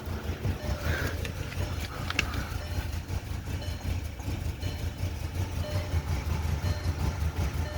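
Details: VW that is hard to start: a low idle pulsing unevenly at about 160 a minute, dipping and catching like it's out of fuel, dying without throttle; needs about 1,000 rpm to keep running. Rough idle.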